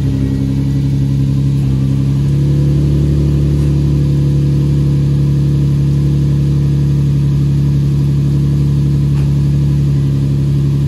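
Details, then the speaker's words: Nissan 350Z after engine swap, first cold start warm-up at about 10 degrees outside, some smoke, headers with resonator: steady deep even idle, constant low note, no ticks or knocks; normal cold idle. "all right guys so we got the car outside um i'm letting it warm up seeing if it doesn't overheat and stuff like that so as you can see it's a cold start it's like 10 degrees outside so it's smoking a bit"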